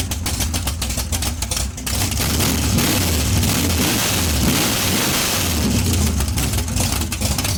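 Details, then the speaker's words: Big block Chevy 454 from a barn-find T-bucket running with the exhaust tubes removed through open headers; deep, loud rumble blipping up and settling back with crisp, even firing, healthy. "All right, both tubes are off. Let's hear it. Open it. Let's hear it. Open her. How she's going to sound in the Monte Carlo."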